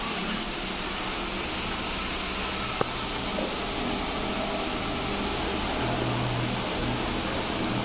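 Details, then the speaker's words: Small, fast fan after its stuck bearing was removed and fixed: a smooth, even whoosh of air with no knocking or ticking. The leftover sound is just normal air noise. "फ जैसा कि आपने video में देख लिया कि पंखा आवाज नहीं कर रहा है खटखट का जो थोड़ी बहुत भी साउंड आती है तो व जो छोटा वाला पंखा होता है काफी तेज चलता है इसलिए वह हवा की आवाज होती है"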